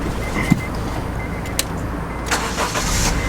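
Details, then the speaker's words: 2001 Honda CR-V that wouldn't crank without a jump, battery from 2016 tested 12.64 V, 406 of 500 CCA: short crank, catches promptly and settles to steady idle; normal start. "It cranks right up after I get it jump started."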